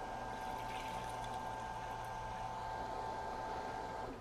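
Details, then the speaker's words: RYOBI RY20UP02 18V One+ telescoping pole pump emptying a 5-gallon bucket: steady mid-pitched motor hum over trickling water, dropping off when it has sucked up all it can; pumps fast, normal running. "That's pretty fast. And it looks like it's sucked about all it wants to up."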